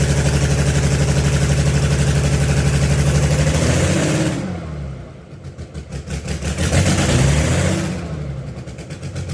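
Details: Allis Chalmers HD20 crawler, GM 6-110 two-stroke diesel, restarted after sitting 15 years, with rebuilt and resealed blower and full-flow filters; exhaust manifold/muffler worn out. Rough clatter at about four beats a second, revs swelling and falling, heavy smoke; runs, no longer blowing oil.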